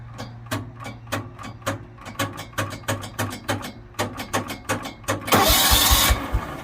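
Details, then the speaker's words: John Deere 160 mower, key turned with clutch in, parking brake off, in neutral: repeated sharp starter solenoid clicks for several seconds before it fires. Hard start; the old ignition switch was found corroded and is being replaced. "so for right now when i turn the key with the clutch in parking brake is off but i'm in neutral you can hear it starting solenoid"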